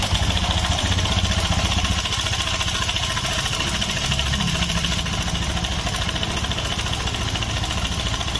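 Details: Honda Scoopy (2017–2018) with a rough, noisy engine, idling: an uneven, fast metallic chatter over the engine note, typical of a slack cam chain from a failed tensioner. A rusted, sticking bushing was found, and the front primary pulley nut was overtightened.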